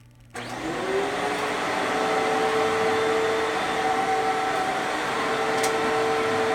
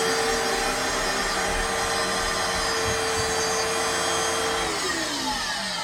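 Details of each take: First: Older-style Fantom Fury 12 amp vacuum, better bearings: motor spins up quickly to a steady, even whine with clean tone and no rasp or rattle; normal sound of a good motor. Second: Older-style Fantom Fury vacuum with bad bearings and dust: harsh, gritty roar over a steady whine that sags as the motor spins down; worn motor bearings, still runs but motor needs servicing.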